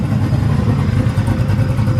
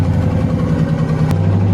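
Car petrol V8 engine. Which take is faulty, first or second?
second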